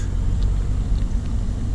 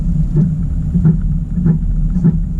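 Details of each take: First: 2018 Camaro SS 1LE on base-model 18-inch wheels after minor adjustments, turning at full lock both ways: only a low even rumble, no clicking or rubbing; steering is quiet. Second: 2018 Camaro SS 1LE on base-model 18 in wheels, tight full-lock turns in a cul-de-sac: rhythmic scuffing rub about every 0.65 s over low road rumble; wheel rubbing on the brake cooling duct.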